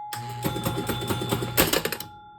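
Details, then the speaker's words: Gusher electromechanical pinball, hole relay driving the disappearing thumper bumper: quick run of sharp mechanical clacks over a steady hum; relay pulls in and moves the bumper normally. "that moves the whole bumper up and down."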